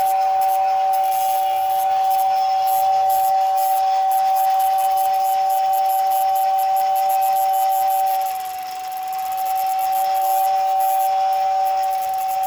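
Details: 1956 American Flyer #569 Whistling Billboard after motor repair (lubricated, brush screws adjusted): a steady, breathy whistle holds one pitch for over twelve seconds with only a brief dip. The whistle is working properly.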